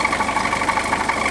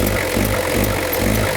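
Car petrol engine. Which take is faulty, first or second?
first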